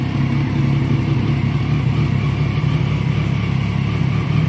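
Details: 2011 Triumph Daytona 675R triple, starting after a blown 15 amp headlight fuse was replaced (starter relay first suspected): steady deep burble holds even with no misses or surging; normal idle.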